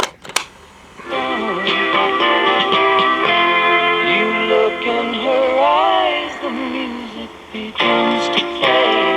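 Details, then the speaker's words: Cariole portable 8-track player fitted with a low-quality replacement belt: music plays high-pitched and hurried at near Mickey Mouse speed; unclear whether running too fast or wow and flutter from the belt. "I can't tell if it's playing too fast or if it's just wow and flutter from the crappy low-quality belt I used you know you got to use good belts"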